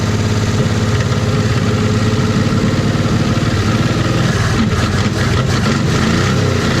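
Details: 1956 Chevy 150, just revived, idle; faint busy clatter through a steady loud idle, valves need a little adjusting: valves out of adjustment.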